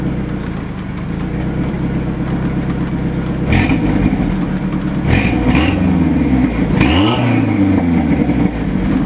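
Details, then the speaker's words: 1994 Ford Ranger four-cylinder, five-speed, 168,000 miles, headers, straight pipe with square-chamber Thrush glasspack, no cat, recorded at exhaust: loud raspy idle with quick throttle blips settling evenly; healthy engine. "overall sweet sounding truck besides the crack it's in the windshield"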